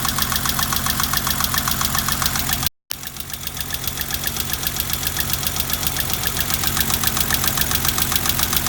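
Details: BMW 325i E30 after fourth valve adjustment via eccentrics: sharp regular ticking nearly four per second on a lumpy rough idle; owner suspects valve clearance still off, not confirmed.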